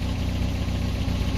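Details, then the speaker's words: Toyota pickup with a 22RE, first drive after installing a '93 computer, not overheating but still shaking: rough, lumpy low idle with irregular exhaust pops, same as before the swap; cause undetermined. "popping of the exhaust. Well, there it goes."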